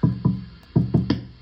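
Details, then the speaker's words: National HRO-500 receiver, HF oscillator tuning capacitor tapped with a plastic straw, heard on an RTL-SDR in narrowband FM with the VFO near 9 MHz. Five heavy thumps with low ringing tails in under two seconds. Badly microphonic, knocking the oscillator out of lock. "what's worse is I just take a straw and just tap this capacitor here and you can hear how bad that is"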